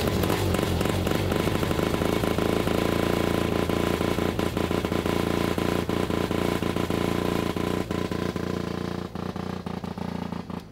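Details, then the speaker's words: Formula Mazda two-rotor engine idling after refuelling, rotor 1 EGT 120 degrees versus rotor 2 at 450: choppy, uneven stumbling idle; one rotor not firing; ignition ruled out, points corroded, possible clog suspected. "It's not firing on all rotors. It literally happened while I was in the parking lot."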